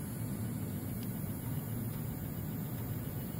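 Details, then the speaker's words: ÄKTA M9 mixer after being moved and tilted: smooth, even low hum with no ticking or clicking; running normally. Finding: normal running without ticking. "because what we were thinking that when it is passed it's not moving but it is moving and now since you have moved it tilted it may be that the reason it's not doing the sound"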